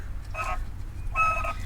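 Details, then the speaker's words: 2011–2020 Toyota Sienna left front strut, wheels turned while raised on a jack: two short rough creaking bursts each time the strut twists; worn strut mount bearing. "oh ah the bearing is done totally"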